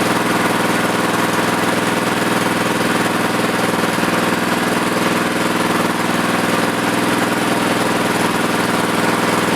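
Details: Plate compactor, previously not starting, carburetor main jet cleaned, running while idle is adjusted down: loud steady single-cylinder thrum at even fast idle with rhythmic shake; engine runs smoothly and holds speed.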